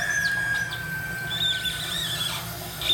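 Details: Toilet fill valve whistling: thin steady high whistle over faint rushing water as the tank refills; fixed by turning the knob at the back of the toilet.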